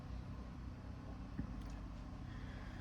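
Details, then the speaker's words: Generator engine after moving the spring two holes over: a steady, even low hum with no surging or hunting, holding a smooth governed speed and noticeably quieter. "This seems way quieter to me. I think I think we're good now."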